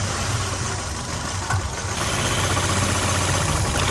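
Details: Nissan Altima four-cylinder, check engine light on (not flashing): uneven, stumbling misfire at idle; plugs pulled one at a time to find the dead cylinder; oil found in the plug wells from a leaking valve cover gasket.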